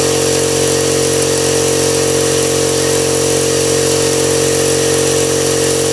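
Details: Husky five-gallon air compressor after replacing the pressure switch, which had failed to cut off: steady, even motor hum with a constant mid-pitched drone, no knocks or surging; running normally.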